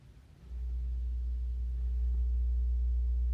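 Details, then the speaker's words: Wards tube stereo with a new tube fitted, brought up slowly on a variac with an audio signal: a low steady hum with a faint higher tone starts while barely powered; a shorted rectifier tube is suspected. "uh that's nasty sounding that's barely up and it's making that noise"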